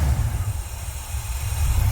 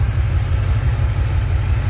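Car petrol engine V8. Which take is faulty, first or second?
first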